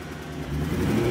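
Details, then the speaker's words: BMW E92 M3 with 48,000 miles, sat about three years and reportedly bad engine, on jumper packs: revs climb but the note stays rough with stumbles, sounding like a miss; light exhaust smoke, cause unknown. "No. It's got a miss or something going on there."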